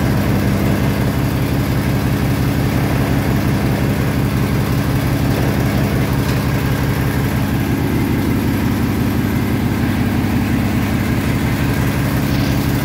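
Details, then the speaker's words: Massey Harris Pony with an 18hp Briggs opposed twin, with temporary wiring. An even, steady thump at about three beats a second over a low drone, no misses or knocks. Normal running; only small adjustments remain. "honestly i think it's pretty damn good i just had a few little adjustments still"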